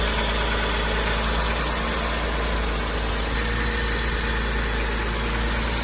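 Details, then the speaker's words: 1993 Mitsubishi 3000GT SL after intake plenum replacement: starts with no problems, even steady idle with a smooth low hum, no hissing or vacuum leak, no stumble. Normal idle. "So as you saw, started up the car, no problems. I don't hear any hissing or like a vacuum leak."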